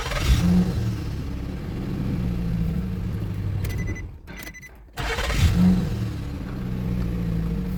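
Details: Nissan Pathfinder cranks with no start, code P0335 (crankshaft position sensor circuit): two spells of steady low cranking with a pause between, engine never firing; missing crank sensor signal.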